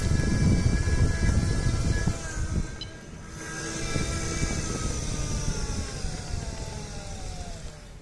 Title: Meyra Ichair basic weird noise from motor (v2)